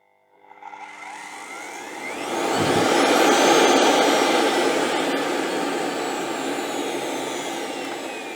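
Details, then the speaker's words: Zelmer Odyssey 1700W vacuum cleaner after repairing the variable speed control circuit and calibrating the trimmer: low buzz rises to a smooth whine as the motor spins up and holds speed, working normally. "that's fantastic I won't turn it right up because there's nothing to hold the torque of the motor as you saw seems to be working really well"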